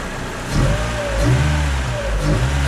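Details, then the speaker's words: 1987 Honda Prelude Si just after a cold air intake install, with the stock air box, some vacuum lines and the charcoal canister removed: engine catches, runs smoothly and pulls cleanly through quick throttle blips, no stumble or rattle; healthy. "So let's start it up. Okay, see, it started and it's running pretty smooth."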